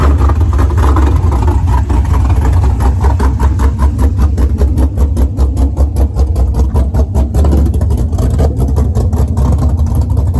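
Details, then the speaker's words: Pontiac GTO being rebuilt after a crash, started, still on open headers: loud deep V8 rumble, fast even pulse, no knocks or misses. Car sometimes won't start on first try; runs normally with loud open exhaust. "there we go now it's still open open headers so it's loud"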